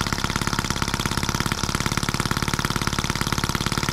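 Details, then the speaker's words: Scale model Atkinson engine (M14/EM1) on its first start, spun up with a drill, mixture leaned slightly, no throttle. Quick even chuff-chuff beat with crisp regular firing and no misses; runs well, just a bit fast. "that crazy thing runs pretty good a bit fast but listen to it before it was great"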